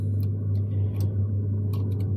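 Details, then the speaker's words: Home boiler heating zone valve control motor, set to manual, not opening earlier: steady low electrical hum with faint ticks as it drives very weakly and slowly fully open; sluggish actuator, to be swapped anyway. "So that has started working. Oh, it's very weak. But that has opened up all the way now."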